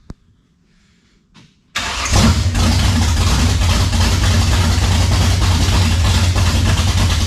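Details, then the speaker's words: 1967 Camaro with 454 big-block V8, cold start after sorting a fuel issue: starter whirs briefly, catches and settles into a steady, loping, even idle with no knocks or misses; normal cold start. "let's see if it fires up there she is"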